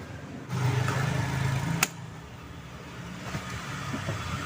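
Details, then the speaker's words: Mercedes-Benz R-Class W251 at idle: steady droning whine with no knocks; power steering pump whining from low fluid, topped up to the dipstick mark. "abila kawan-kawan mendapatkan atau mendengarkan bunyi yang mengaung pada saat kita menghidupkan mesin hal itu menandakan bahwasanya Hai adanya permasalahan pada power steering"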